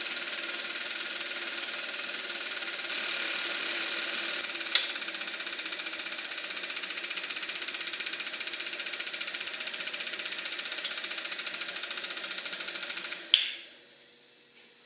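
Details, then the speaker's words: Eberspacher B1 gasoline heater for a VW Beetle, bench test-fired with the battery charger connected: steady roaring hiss with even fast ticking, then the roar suddenly collapses to a faint hum; flame-out, cause unknown. "Now, we are making heat. Now it sounds like the flame went out."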